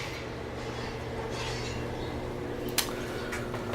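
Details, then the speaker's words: Original 1969 General Oiltronic hydraulic elevator with submersible pump and relay controller, heard from inside the car going up with the fan off: low, even motor hum with faint clicks; pump running smoothly, normal. "Let's shut the fan off so we can listen to the motor going up."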